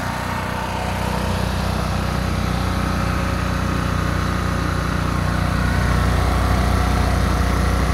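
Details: Old $20 generator, running after the fuel filter was removed and fuel squirted in: a steady, even low drone with a constant beat and no misses or surging; running normally.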